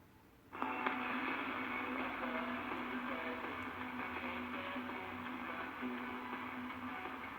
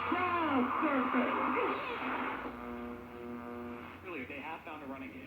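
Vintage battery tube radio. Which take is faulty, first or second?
first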